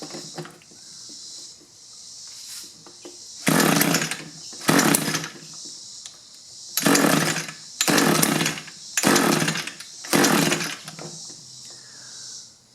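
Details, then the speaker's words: Echo two-stroke hedge trimmer, engine replaced after being run on straight gas, first start with the primer bulb full: fires in short, rough bursts. It runs only on choke and dies when the choke lever is moved. "that's not very encouraging. Yeah, move the choke lever and it won't run."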